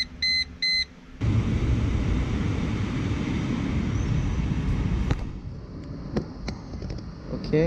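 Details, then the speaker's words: 2002 Mercedes-Benz C240 (W203), engine running after start-up: a couple of chimes, then a smooth steady run with no knocking from the HVAC flap stepper motor behind the dash after the replacement motor with too much play was swapped back for the original; normal actuator operation. "running and it's quiet ah that is so awesome so my suspicion was correct this part here is a little bit too big so we're skipping"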